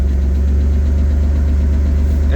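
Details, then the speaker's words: BMW E36 on a cold snowy morning start, with no power and a massive misfire. A deep, uneven cold idle with a faint irregular knock; the owner thought cold oil might be a factor. A later tune-up fixed it. "well ladies and gentlemen the car started the engine doesn't sound too healthy right now let's be honest"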